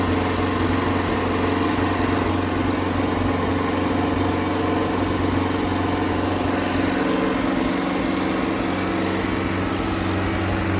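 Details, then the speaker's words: Circa-1986 Starcraft boat inboard engine, stored about six months, running on water hookup after a strong spark check; steady low drone, even beat, no skips or misses while warming up. Owner reports a miss once at operating temperature, not yet shown. "see water coming out right here in this area it's a running very well as a very good Idol"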